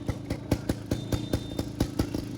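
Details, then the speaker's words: 1998 Bajaj Chetak scooter, silencer rusted through, riding to garage: sharp raspy exhaust pops about five per second at idle, much louder than normal, scooter shaking; exhaust leak from rusted silencer. "पोलीसवाले नाही भेटले पाहिजेत. गाडी आवाज solid करते, फुल हलते."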